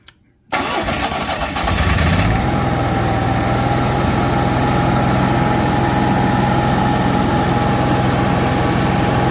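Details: Cummins Onan Marquis Gold 5500-watt RV generator, revived after sitting about 20 years, after recharging jump pack/battery: brief crank, fires and holds a steady even drone with faint constant whine; clean, healthy start and run.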